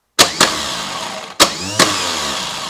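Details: Starter run during a voltage drop test with a voltmeter paralleling the positive cable; two sharp engagement clunks, each followed by a steady even whir, spinning freely, needle barely moves, so hardly any voltage drop.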